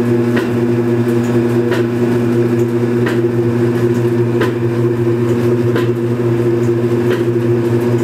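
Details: Belt-driven Kenmore Series 80 washing machine from about 1987, on spin cycle: steady hum with a dull, fairly uneven knock a bit more than once a second. About a quart of water also leaks per cycle. Cause unknown; wig-wag was replaced months earlier.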